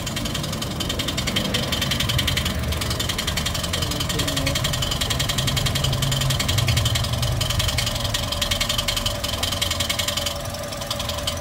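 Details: Toyota 1NR-FE engine at idle with a noise complaint: fast, even, light ticking over a steady idle, lifter-like, possibly poor oil supply. Cause unconfirmed; engine being taken apart to check.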